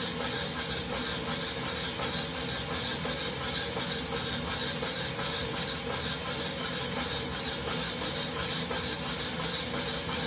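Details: Wahoo Kickr Rollr bike trainer squeals steadily with hiss over a low rolling rumble for about two minutes while warming up; later a knocking noise persists through the ride.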